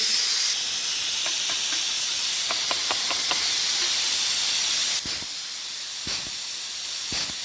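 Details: Air compressor with a new manifold: constant sharp hiss of escaping air that never stops, with a few clicks; unloader valve in the new manifold still not shutting off, bleeding air.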